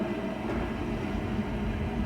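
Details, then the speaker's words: Newly installed gas pool/spa heater after gas line install: igniter heats, click, then steady low roar with even hum, no popping or flutter; burner lit cleanly, normal operation. "Right now, the igniter's heating up. It would have stopped if there was a problem, okay? And then you'll hear the rumble, you'll hear the click, and then the rumble."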